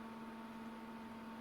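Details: Fluke 6060A/AN signal generator on bench during fault diagnosis, testing bands after band one fault found; steady fan whir with fixed mid-pitch tone and fainter high one, no wavering or rattle; normal cooling fan.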